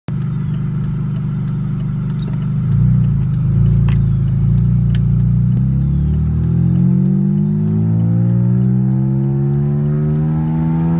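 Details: BMW E46 M3 revving: pitch climbs smoothly with faint sharp ticks early on; owner suspects an exhaust leak at the section 1 exhaust, unconfirmed.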